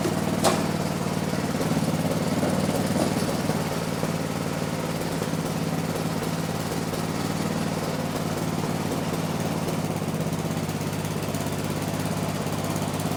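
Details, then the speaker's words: 1970s Massey Ferguson MF-12 garden tractor, Tecumseh 12 hp, just restarted after the cracked head was replaced: putt at three to four beats a second, wandering, never an even idle; owner suspects the carb. "Doesn't quite like to idle yet, but might have to go through the carb."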